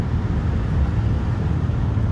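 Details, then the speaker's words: Driving-school car driven without upshifting: loud, strained low engine drone held at high revs; engine over-revving in low gear, needs a gear change. "Engine నుండి బరువైన శబ్దం వస్తోంది, madam."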